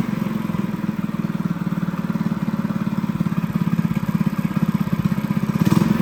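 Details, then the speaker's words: Honda GX200 clone single-cylinder go-kart engine after jetting the carb with progressively larger drill bits: crisp, regular beat at steady fast idle, firing evenly without misses; normal running. "So guys, she sounds pretty good."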